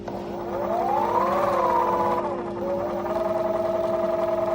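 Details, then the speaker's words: Electric wheel hub motor with a broken washer inside: whine rising and falling with motor speed over a steady hum with uneven pulsing about three times a second; rough compared with the smooth other wheel, magnets suspected. "so this one makes a nice smooth sound and this one makes bla bla bla bla sound"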